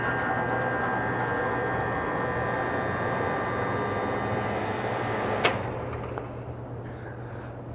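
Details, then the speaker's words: Walk-in cooler condensing unit outdoors in wind, not cooling (box at 53°F), hissing pointing to low charge: compressor hums steadily, then clicks off after a few seconds; short cycling because pressures are too low from insufficient refrigerant. "so as you can see our unit is what we call short cycling so basically the unit turns on or tries to turn on the pressures are too low because there's not enough refrigerant in the system"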